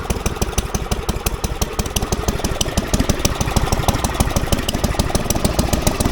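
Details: Falcon four-stroke paramotor trike on a new NOCO lithium LiFePO4 battery, just started with throttle: quick, even firing pulses around three per second over a steady low drone; normal, smooth running.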